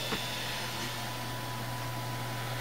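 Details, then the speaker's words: Floppy disk drive on a built-in controller PC: steady motor hum with a couple of light ticks and no seek chatter; spins the good disk but won't read it, asks to format; owner suspects heads need cleaning. "still this one's kind of doing the same thing it's just uh it's got the it's got the uh disc activity indicator lit and i can hear it spinning the disc"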